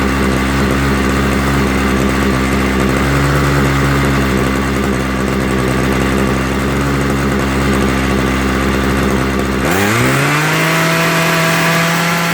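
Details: Homelite 26cc hedge trimmer two-stroke after carburetor and fuel line service, started on full choke then warmed up and tuned. It buzzes unevenly with wavering pitch, then rises to a higher, steadier speed after the needle valves are opened more. Unstable running.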